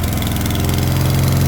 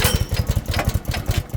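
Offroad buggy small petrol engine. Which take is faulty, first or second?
second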